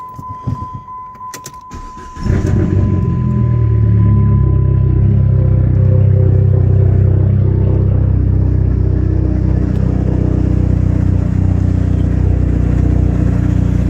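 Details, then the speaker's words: Dodge SRT4 turbo at 107,379 miles, many new parts, start-up: catches after a brief crank at about two seconds, then settles into smooth, steady idle with no knocks or rattles; normal start, no weird noises. "you can hear there's no weird noises or anything."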